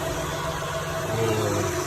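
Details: Power steering pump at idle after a noise repair, with the reservoir left open a few minutes to bleed air: a steady, even idle with a smooth low hum and no whine or groan; the pump sounds healthy.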